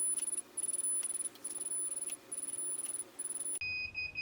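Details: KO Factory Spec controller on a Sur Ron Light Bee MX during throttle calibration: a high electronic tone beeps on and off continuously instead of the expected short double beep, so the throttle calibration is not being accepted.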